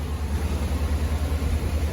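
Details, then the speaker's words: Vehicle at 87,000 miles after new spark plugs and wires, codes cleared, on a cold start: low, even idle with no miss or rough running, confirming the fix after another shop had said the plugs were fine. "It sounds pretty. Sweet. Sounds really good. You can't even hear it running, of course. It's all factory. Sounds really good. No miss, no rough idle."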